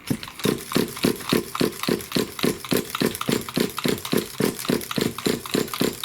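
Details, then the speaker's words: Nitro RC car engine, pull-start with glow plug: rhythmic chuffing about three to four strokes a second but it never catches; cranks without starting, loose glow plug suspected, flooding checked. "so no don't want to go for me"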